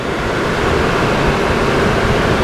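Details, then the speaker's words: 2002 GMC Envoy after water pump and thermostat replacement for overheating, refilled and run at idle: steady, even rushing roar of the engaged clutch fan over a smooth idle, no squeal, grinding or knocking; temperature holding about 190–200, cooling working normally. "clutch fan is working good everything sounds good so let's see where this goes"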